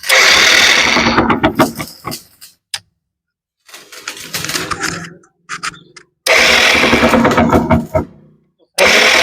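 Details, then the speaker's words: 2013 Bajaj Discover 100 bike, engine recently rebuilt, kick slipping; self-starter bursts with a harsh rattling grind each crank, never catching, mic opened near the engine; damaged (sheared) magnet/flywheel key. "ये देखो अभी गाड़ी कुछ गड़गड़ की आवाज आ रही है।"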